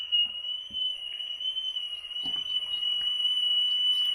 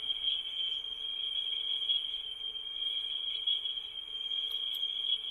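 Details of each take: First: Vintage rim-drive tape recorder playing a test tone, picked up by a microphone feeding wow-and-flutter software: steady high tone with a constant pitch wobble; bad wow and flutter, possibly the tape bumping the reel. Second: Vintage Mayfair tape recorder playing a test tone, measured at 4% then 1% sensitivity: about 0.34% RMS, 0.7% peak, much better than the Brownie. A clean high tone with only slight wavering; good speed stability.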